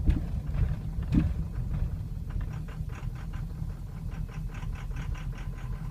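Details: 2003 Ford Excursion 6.0L Powerstroke diesel, suddenly running poorly over two days: low idle with uneven loping pulses and faint irregular ticking; rough, stumbling idle worsening as it warms, stalls, hard hot restart, fine cold start; cause unknown.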